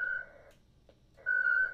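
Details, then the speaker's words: Winlink ham radio email session connecting to a station: two bursts of steady high whistling tone with a short quiet gap, normal modem data and acknowledgement exchange. "So we just wait for this to do its thing. And you can hear these noises."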